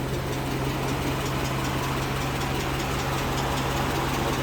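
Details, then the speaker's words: Carbureted old car, engine bay cleaned: idle not perfectly smooth but normal, still fine for long trips with decent pull; steady low thrum, faint unevenness, no knocks or misses. Normal idle. "meskipun gak halus-halus banget untuk suara mesinnya Tapi ini masih normal dia dipakai jarak jauh dan juga tarikannya juga masih dapat"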